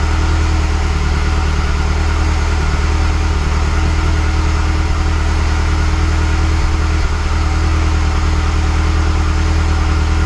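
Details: Mazdaspeed6 engine, freshly rebuilt with honed cylinders, just after first start: a low, steady, even idle hum with no knocking, ticking or misfire. It idles smoothly.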